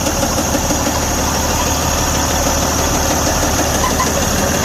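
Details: Detroit DD15 diesel truck engine running steady with a heavy, regular knock about three per second; oil pressure good, so the knock is attributed to a defective connecting rod bearing.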